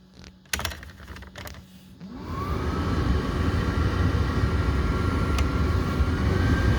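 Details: Mercedes SLK230 (R170) blower fan just replaced, key on, tested from dash controls: a couple of clicks then smooth steady whoosh with faint even whine; new blower working normally.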